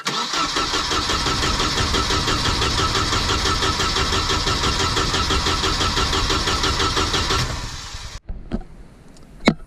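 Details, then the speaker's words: Volvo Penta AQ151c dual-carb marine engine, first start in over 10 years, spark confirmed but tank possibly empty: steady cranking about two beats per second for eight seconds, never catches; crank no start, owner suspects no fuel. "right so we have spark we're just gonna try to get some fuel in it we're not sure if there's any fuel in the tank"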